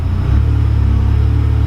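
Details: Ford Sapphire RS Cosworth started after a new fuel pump loom was fitted, with 12.7 V measured at the pump; a deep, steady rumble with even pulses and no knocks or misses, so it idles normally.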